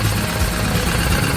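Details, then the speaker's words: Crashed Lamborghini Urus, started for the first time after the crash and fired on the first crank: deep, even, slightly lumpy V8 idle with steady firing and no knocks or misses; engine running healthily. "The car actually started first crank. It shocked all of us. Sounds like a V8! Sounds like an American V8."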